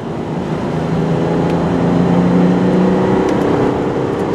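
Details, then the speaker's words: 1997 Isuzu Rodeo being driven near 55 mph; steady, even engine hum under road noise, no knocks or ticks, pulls smoothly, runs quiet and good; sold for parts only due to frame rot, not engine. "does run good though ship's smooth it's quiet it's a nice truck"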